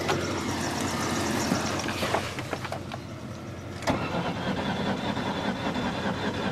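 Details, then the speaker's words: 2003 Ford Taurus, sat about a year, on ether: cranks with a few weak uneven chuffs that never catch; fuel pump not heard running, little rail pressure; crank, no start. "I think I would have got something more than a little pop off the ether, but yeah, we'll keep spraying her. Why not? Got a little bit of a choo-choo out of it, but not much more than that."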